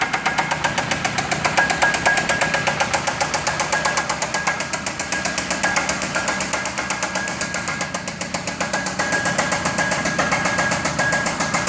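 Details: Chrysler 2.4-liter engine deliberately run with coolant drained and no water pump, getting hot: loud, steady hammering knock about four per second over harsh running, pointing to a failing, overheating bottom end.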